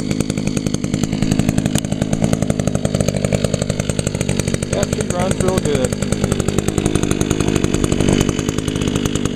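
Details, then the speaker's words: 2002 Echo SRM 2400SB slip-boom trimmer, 13 years old; cylinder was fogged, so a little smoky, muffler clean; crisp, rapid, even buzz at steady high speed with no stumbling or surging. Still running good, normal running. "oh yeah still running good even though it's 13 years old definitely a good trimmer"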